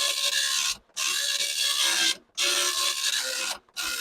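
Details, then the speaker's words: Commodore 1526 serial dot matrix printer self-test after head was backed off; loud raspy chattering print passes with short gaps, noisier and printing worse; print head gap set too wide. "I'm going to back this thing off a bit oh yeah it's a lot noisier now I think that did pull it back and I think it's actually now not really printing nearly as well"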